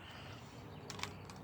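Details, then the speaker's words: Polaroid 250 camera shutter test with the button released too fast; two faint light clicks a split second apart over quiet hiss, so the shutter closes early and the exposure is bad. "If you let your finger up too fast, you'll have a bad exposure."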